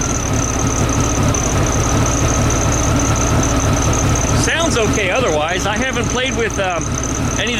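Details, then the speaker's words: 1972 VW Beetle with freshly reinstalled Weber 34 ICT carbs, mixture screws set at 4½ turns, idle screws and balancing not yet done: steady, even air-cooled idle with no misses; all four cylinders firing, though throttle won't return to idle. "but sounds okay though it sounds like it's running on all four cylinders"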